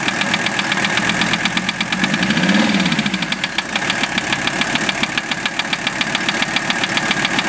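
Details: Mercedes OM617 diesel swapped into a Toyota, warmed 2–3 minutes: steady idle with a sharp, regular knock at roughly engine speed. Valve adjustment and cracking each injector didn't change it; piston/connecting rod area suspected, unconfirmed.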